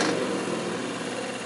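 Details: Old Magnetek electric fan motor with badly worn bearings: constant harsh, gravelly growl riding on the motor hum with no letup.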